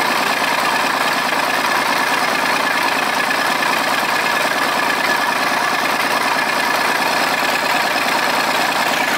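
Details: Volvo 320 tractor, Perkins diesel, first start after repair (valves adjusted, injectors, filters, oil changed, rocker cover off): loud, even idle clatter about two beats a second, no misses or hunting; running normally.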